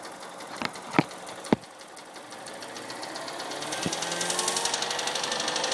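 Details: Mini Cooper N12 engine running, about 300 miles after retiming and a new timing chain tensioner: sharp steady metallic knocking, more prominent as it settles, grown worse over time; deep internal knock, rod knock suspected, unconfirmed.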